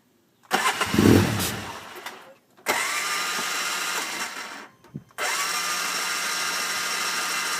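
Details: Hard-starting RZR, with smoke coming from the back: the engine cranks, catches and fades out, then restarts twice with uneven running before dying; it won't stay running, cause unclear.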